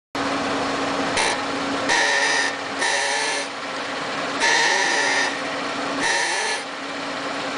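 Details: 2007 Lincoln MKZ AWD, parked, steering rocked slightly left and right: squeaky, groaning creaks from the front passenger-side suspension, also heard over bumps. Resolved by replacing the control arm and spindle.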